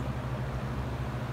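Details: Used Hurricane box fan with cracked top parts, running on low speed: low steady drone with an uneven buzzing shake. The fan shakes quite a bit and is very loud even on low; cause not determined.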